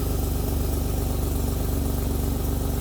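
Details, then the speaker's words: Acura TL J-series engine just after a piston replacement for ring failure, first run with smoke from leftover oil burning off: steady idle with a faint regular stumble in the exhaust pulse, about four per second; a slight misfire at idle. "but listening to everything it sounds normal i see a little bit of misfire with the motor"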